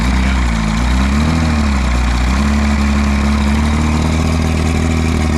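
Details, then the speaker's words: 1958 Johnson Super Seahorse V4 two-stroke outboard, first run after 5+ years sitting: steady, even low burble with no misses or knocks, though it probably needs a tune-up; normal idle. "How's your newer motor been treating you lately? Sounds good. Sounds really good. She's probably used up to 2 gallons of gas already just idling here, right?"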